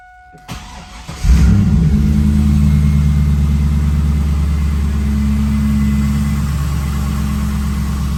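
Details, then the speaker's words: 2002 Pontiac WS6 V8, cold start after sitting for weeks: quick catch, then a deep, even idle settling smoothly with no knocks or misses. Normal cold start and idle. "runs perfect this car's like a brand new car"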